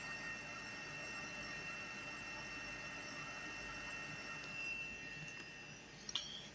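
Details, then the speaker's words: Ausranvik 12-volt fridge/freezer set to -4 in max mode, drawing about 70 to 80 watts on a Bluetti in a 93-degree space: a quiet, steady hum with a faint, constant high whine; normal compressor running. "But it is hot in here. It was 93 degrees when it finally kicked on in here after I plugged in the 12 volts to my Blueity."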